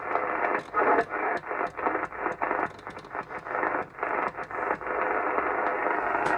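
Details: Cobra 2000 GTL classic CB radio on an aerial, first seemed to have no receive: choppy hiss and broken signal bursts from the speaker, so receive is working normally.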